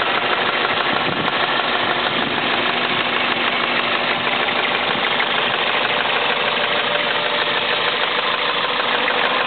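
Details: Toyota Celica at warm idle, with plenty of oil: a quick, uneven tick-knock about three per second over the engine that appears only once warm and not when cold; dealer suggested injectors, owner suspects rod knock, source undetermined.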